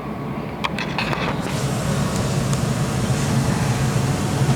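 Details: New Rheem Classic Series furnace in its first year, running on a night forecast to drop to 24 degrees: a few early clicks, then a steady deep rumble with an even airflow roar as it fires; normal running.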